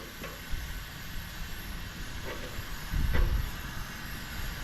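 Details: Coleman camp stove, garage-sale unit never started before, first burner turned down after full open: soft steady hissing roar with a few light handling knocks; burning evenly; second burner later fails to light and may need cleaning.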